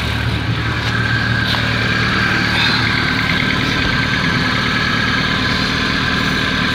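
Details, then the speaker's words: Steady idle with a thin whirring note; with other accessory belts removed the noise stopped, and a screwdriver stethoscope traced it to the water pump, which does not leak coolant. Water pump pulley noise. "que el ruido viene de la bomba en la bomba de agua muy bien"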